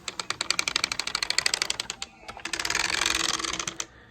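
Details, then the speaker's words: Kirby Ultimate G Diamond Edition vacuum cleaner (power assist not working) being pushed, motor off: quick, light wheel clicking about three per second. This is the wheels' usual click, normal and nothing wrong. "I almost forgot that my mom would always push the vacuum whenever she needed to go somewhere else, and the wheels always clicked. Matter of fact, they still do."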